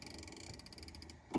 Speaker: that clicking. It's a ratchet. And now this is locked and it's not going to go anywhere.